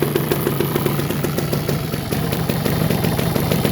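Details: Suzuki LT250 Quadracer two-stroke ATV, bought after sitting outside under a tarp for years, recently run so it fires easily: crisp, busy idle with a fast popping beat about three a second, slight wander, running steadily and healthy.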